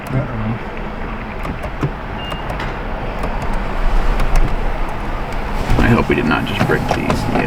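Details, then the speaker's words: BMW 335i single-turbo, cranking after a failed MHD ECU flash meant to turn off the exhaust burbles: the starter churns unevenly and the engine never catches. Crank, no start. "basically the flash just failed and now I don't know you can see if it'll start but I don't think it's going to start"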